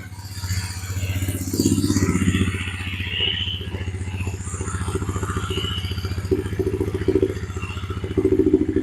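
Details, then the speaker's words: Suzuki King Quad ATV that had its crankcase full of fuel, fired right up without choke with no leaks; steady single-cylinder putter at a slightly fast idle, even firing, no smoke; normal idle, a little high, to be turned down. "wow that fired right up idle doesn't sound too bad it's a little high let's take that idle down a little"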